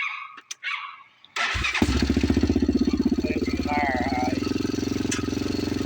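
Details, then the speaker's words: 2007 Honda TRX400EX ATV after 440 big bore top end rebuild, new valves and clutch, pulling out in gear: fires right away, even crisp single-cylinder thump about three beats a second, no smoke; sounds healthy. "No smoke. Sounds good."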